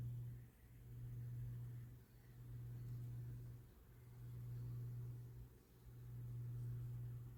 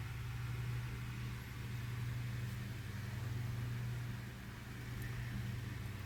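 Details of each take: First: Lasko 9" desk fan model 2154 (1988–89) on low with oscillation, after an extra washer was added to reduce play: motor hum swells and dips, dragging once per sweep at a tight spot in the oscillation gears. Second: Lasko 9" desk fan model 2154 (1988-89) on high speed after oscillation gearbox modification: low, steady, smooth hum with no knocking or catching, slight remaining resistance at the gearbox tight spot; runs much smoother than before.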